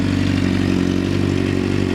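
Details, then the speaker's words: 2006 Honda CBR 600RR with about 22,000 miles, recently bought and rebuilt: steady, even idle with a smooth throb and no knocks, misses or rattles; the owner says it runs good mechanically. "as far as the engine goes mechanically and everything it runs for good for me anyway"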